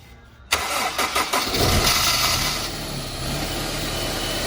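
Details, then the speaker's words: Honda S2000 with Kraftwerks Rotrex supercharger kit just converted from cogged to 8-rib belt with retensioned tensioner; cranks, catches at once, steady even idle, no knocks, ticks or belt squeal; running smoothly. "Running smoothly."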